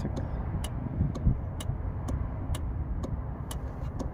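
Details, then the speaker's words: 2009 Nissan Rogue 2.5 L with code P0447, after replacing cracked, likely water-damaged EVAP vent control valve: bidirectional scan-tool test toggles valve, crisp evenly spaced ticks about twice a second; vent solenoid switching cleanly, fixed. "Just do on and off, and we should hear it click. Hopefully you guys can hear that. It's going tick, tick, tick,"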